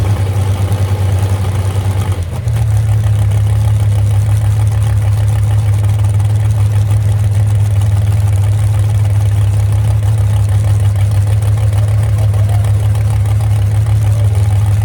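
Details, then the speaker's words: Moonshiner street car, first start in months after a crash rebuild, with two crossed plug wires corrected: brief stumble, then a deep, steady, even idle with no misfire; temperature gauge not working, possible radiator leak; normal idle. "Yep. Well, girl, still sounds good, don't it? That's all it needed right there."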